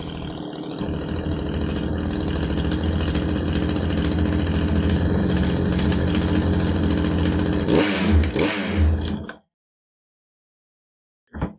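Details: Poulan Wild Thing two-stroke chainsaw test run after oil pump replacement, oiling fine: steady even buzz for about eight seconds with a couple of quick blips before shutoff; normal running.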